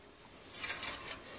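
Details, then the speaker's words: Bicycle hydraulic disc brake, wheel spun by hand: thin high scraping swish rising and fading at one spot as the rotor rubs the pads, also dragging the wheel; fixed by loosening caliper bolts and re-centering. "bu örnekte gördüğümüz hidrolik disk frende tekeri çevirince disk belli noktada baltaları sürterek duyabildiğin gibi hem ses"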